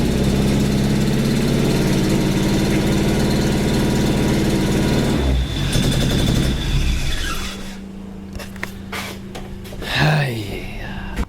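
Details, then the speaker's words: Suzuki engine that had been running on three cylinders, restarted after new spark plugs and the distributor cap turned 180°. Loud, lumpy, stumbling idle that then drops off: rough idle misfire, suspected ignition or distributor fault. "right so there's clearly some issues all ignition related"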